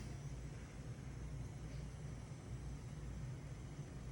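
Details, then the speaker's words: Samsung oven after ignitor replacement, burner lighting within the 90-second test; low soft steady roar with no clicking, popping or flutter: normal burner operation. "Certainly hear it. Seems to be functioning."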